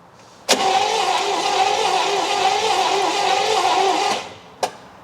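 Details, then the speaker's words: 1964 Buick Electra engine, seized after sitting 25+ years and just freed, cranks evenly about 3.5 seconds with plugs in but never fires; spark tester shows no spark, 12.1 V at coil, points suspected dirty or capacitor bad. "No spark. Let's make sure we've got power to the coil."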